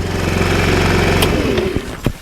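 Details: 50cc Chinese GY6 scooter after replacing an exploded variator: buzzes evenly for about a second and a half, then winds down and shuts off; no clanking or grinding, running normally.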